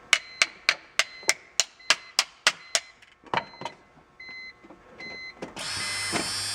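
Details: 2002 BMW 330Ci in-tank fuel pump, removed and powered after verifying voltage (relay and fuses good): about three and a half sharp ticks a second, then pump whirs on unevenly; pump motor bad, shorting intermittently.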